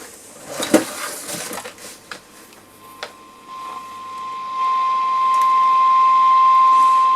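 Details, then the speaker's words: Columbus model 26P valve radio, 455 kHz IF signal running on the bench beside it: a steady clean tone comes through the speaker after handling clicks. The IF and audio stages pass signal, but there is still no RF reception; valves suspected next. "So that's promising. There's definitely something getting through. So why have we got no RF?"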